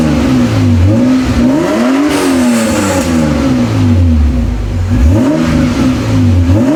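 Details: Toyota Cressida MX83 on a temporary exhaust: even idle and repeated clean revs rising and falling smoothly without stumbling or popping.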